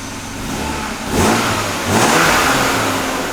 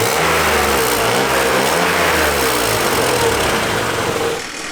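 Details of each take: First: 1997 BMW E36 M3 sedan after installing a refurbished AC Schnitzer muffler: two quick revs, quiet smooth exhaust, no puffing or ticking from leaks. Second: 1997 BMW E36 M3 sedan idling with stock exhaust, heard under driver's side: raspy, puffing exhaust leak near the cats and a loose heat shield buzzing about four times a second, before muffler swap and repair.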